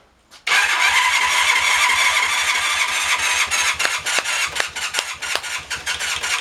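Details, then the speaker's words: 1981 Honda CM400T twin, first start after sitting 18-19 years (carbs cleaned), on choke in neutral: cranks briefly, catches at once, quick even idle with steady exhaust pulse; healthy start and idle. "that was pretty healthy"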